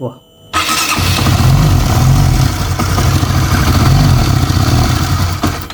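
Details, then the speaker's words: Honda CB150R (about 2016–2017, LED model) after repair for top-end ticking at the camshaft: short crank, then steady idle with busy top-end patter, now smoother than before; normal running. "kalau mau mendengar suaranya kita hidupkan dari sebelum dan sesudah ya kengaran Ya beda dari sebelumnya sekarang udah halus"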